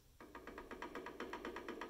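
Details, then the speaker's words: PM-728VT mill being converted to CNC with Centroid Acorn: quill rocked by hand gives light quick clicks about eight per second. This is normal drive clearance between the drive shaft and what drives it, needed for quill motion, not wear; a printed bushing will wedge it out. "that little bit of toggle that that's normal that's the clearance between the drive shaft and what drives it that's what you need in order to have quill motion"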